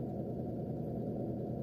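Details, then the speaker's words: Mitsubishi Colt SS engine burning oil and losing radiator coolant, started cold in the morning: steady raised idle held around 1500 rpm, slow to drop; mechanic suspects no coolant/thermostat keeping engine below operating temperature so ECU idle speed control won't lower rpm. "terus kalau pagi itu di starter mesin nyala rpm nya tinggi lambat banget untuk turun"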